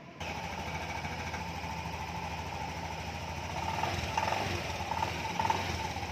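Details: Honda Beat Street 2020 scooter, about six months old, after oil change and tensioner replacement: quiet, steady low putter with a slightly rough thud in its beat, nothing clattering or knocking; normal idle.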